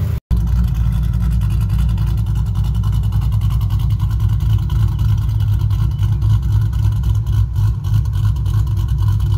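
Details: Newly installed Ford 4.6 3V V8 after install with the oil cooler removed: deep, steady rumble holding an even idle with no knock, tick or miss, and no leaks; healthy so far.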